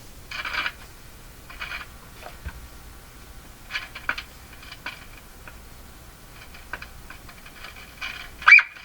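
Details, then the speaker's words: Silvertone Model 6002 four-tube radio, first power-up through dim-bulb tester at 108 V, volume down: irregular hissy crackle and sizzle from the speaker, no stations, sounding like something burning. Crackling noise from speaker. "oh what's that sound oh that's coming out of the speaker that sound like something burning up fast"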